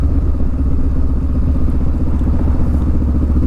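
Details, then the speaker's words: Motorcycle slowing down while still in fourth gear, too high a gear for the low speed: deep, slow chuffing beats with a clattery edge as the revs drop. The engine is bogging and lugging. "already the bike's kind of bogging down it's kind of making this strange noises like it's craving a little bit of gas a little bit of power a little bit of fuel because I'm in too high of a gear for such a low speed"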